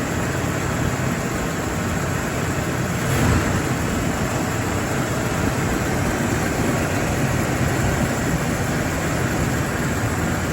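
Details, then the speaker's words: 1983 Cadillac Seville idling after being brought back to running: steady, even idle with no knocks, misses or rough patches; running well, though a whining noise is suspected to be the power steering pump needing fluid. "That's running well. It's good."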